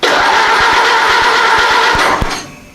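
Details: Ford Model AA Doodlebug tractor engine, start attempt after setting distributor point gap and timing; gas and oil shot into intake: rough, rapid firing for about two seconds, then fades and dies as primed fuel burns off.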